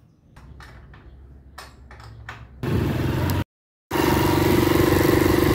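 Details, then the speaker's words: Motorcycle running after the worn drive sprocket (pinhão) was flipped to its less-worn side: steady, even running with no knocking or grinding from the transmission; the front-sprocket noise is resolved. "Pois é meus amigos a gente só virou O Peão e o problema ali Resolveu entrar resolveu ali o problema"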